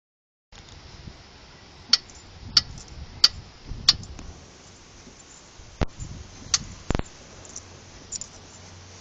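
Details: VW Golf Mk4 1.6 8v: sharp irregular clicks when pushing on the side of the front shock, same click when turning or over bumps; wishbones, bushes, ball joints, ARB parts, pads already replaced; click traced to the shock.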